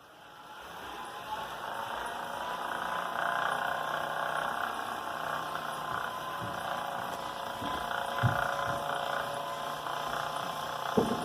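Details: Wahoo Kickr Snap bike trainer, 2019: steady mid-pitched roller whine builds as it spins, with occasional dull knocks breaking through.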